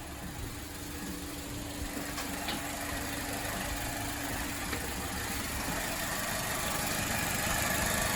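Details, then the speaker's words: 2004 Saturn Ion 2.2L petrol idling evenly with a low steady hum after replacing the catalytic converter flex pipe; no hissing, puffing or exhaust flapping, no leaks found. "All right, it sounds good. I don't hear any weird hissing. I don't hear the exhaust flapping anymore."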